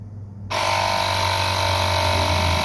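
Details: Lokithor JP400 jump starter's built-in air compressor, battery at two of four bars, pumping up from about 28.5–29 psi until it stops at 35.9: kicks in abruptly, then a steady even buzzing drone; normal running.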